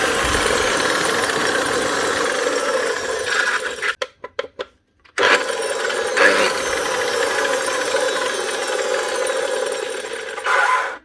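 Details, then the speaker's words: Makita GA9040S 2400W angle grinder with Laserchaser wall-chasing head, before repair: harsh, rattly mid-pitched roar, coasting down and restarting; bearings gone in the gearbox head, full strip job. "Yeah, there's the problem. The bearings are gone on the head of the grinder. Right, that's a full strip job."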